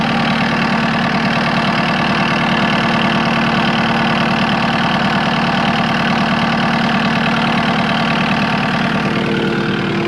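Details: Cat 259D skid steer diesel after 1500-hour service with new fuel pump and filters: steady, even idle with a smooth low beat, no misses or knocks; normal idle.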